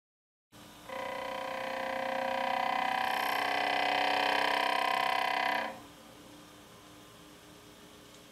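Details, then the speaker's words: Rotordynamics demo rig, motor sweeping shaft from 100 to 3,000 RPM and back: loud buzzy tonal drone swells, holds, then drops away as the shaft resonates near its 1900 RPM critical speed. "the maximum amplitude is observed near the 1900 RPM which is the critical speed for the system at this speed you will hear the large vibration produced by the"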